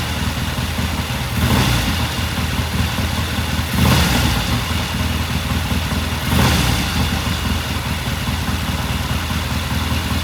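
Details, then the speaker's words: 1969 Triumph TR6 vintage British motorcycle, pilot jet cleaned and pilot air screw turned in half a turn for a richer starting circuit; warmed up after a cold start, it ticks over steadily with a few gentle swells in speed, no misfires or pops: normal warm idle. "It sounds good. I'm just going to let it sit here and idle for a while. Run for a few more minutes."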